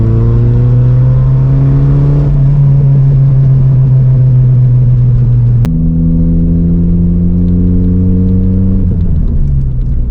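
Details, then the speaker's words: Mk2 VW Jetta with remaining muffler fallen off and torn up: very loud deep booming drone rising and falling with revs, little pops and bangs, no muffling. Open exhaust, mufflers missing. "It's fun for like 30 seconds, little pops and bangs, but it's so loud and drony and just obnoxious. It's gotta go."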